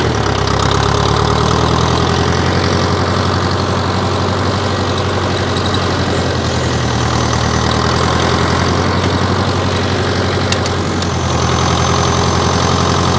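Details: 1968 John Deere 500A diesel loader tractor (industrial 3020), parked 10+ years; RPM earlier surged, likely from old fuel. Now restarted after sitting a week on a warmer day: steady, even diesel clatter at a settled idle, no misses or hunting. Running healthy.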